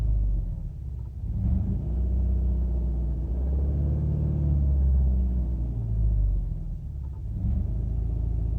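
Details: 2007 Subaru Outback 2.5i just after start: low, uneven rumble that surges and sags every second or two, a rough idle with no clear cause; check engine light has never stayed on before.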